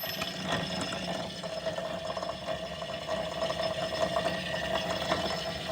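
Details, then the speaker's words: 2022 Ram 1500 5.7 eTorque motor-generator, belt removed and spun up with a 24 mm socket, coasting: steady hum with rough ratcheting grind from a bad internal bearing; began as a light under-hood whine that grew louder, tensioners ruled out. "The bearing in this has went bad. I mean, it's done got real loud and grinding."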